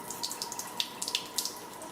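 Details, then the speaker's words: Waterdrop G2 reverse osmosis filter, year-old system, new filter just installed and flushing for about 5 minutes: even hissing splash from the faucet after initial pressure loss, no carbon seen; normal flow, some air possibly still present. "But it's going just fine now. I don't really see any kind of carbon or anything coming out of it."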